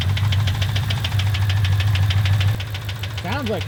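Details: Nitrous Mustang V8 after blowing its motor on the street: heavy steady knocking about three times a second over rough running; bottom-end failure.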